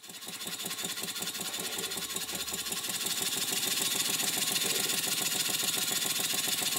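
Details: Stuart 5A model steam engine bought online, running on standard 1000-grade steam oil as pressure is turned up; quick even chuffing about three and a half beats per second building with pressure; running smoothly, slight flywheel runout noted.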